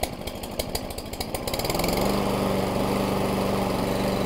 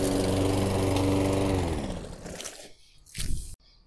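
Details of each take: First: Toro Recycler 22-inch mower with a replacement Ready Start carburetor, restarted warm: ragged, stumbling run for a couple of seconds, then a steady drone; starts rich, a clean air filter shortens it. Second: Toro Recycler 22-inch mower with a replacement carburetor installed months earlier, cold start: runs steady and even, then winds down cleanly with no stumbling; it starts right away cold but runs rich and rough when restarted warm.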